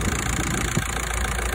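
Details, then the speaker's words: VW Passat that would not crank, battery about 12.2 V, started by bridging the starter with a temporary jumper cable: steady, even low idle rumble with no misses or knocks, showing the starter gets no start signal. "So überbrückt man den Anlasser und der Motor springt an. Das heißt, die Anlasseranstörung ist nicht gegeben."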